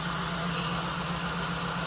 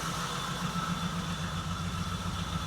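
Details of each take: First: 1979 Jeep CJ-5 parked 29 years, just started, smoking with slight blowby and fuel seepage: a fast, light tick over a steady, even idle. Likely lifter/valvetrain noise expected to quiet as oil circulates. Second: 1979 Jeep CJ-5 running for the first time in 29 years; low, even idle thrum about 220 pulses a minute, no ticking, knocks or misses, with a faint hiss from a vacuum leak; normal idle.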